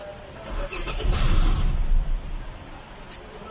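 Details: Hyundai Elantra no-start issue: brief burst of even starter cranking, about four turns per second, engine never fires or catches; crank, no start.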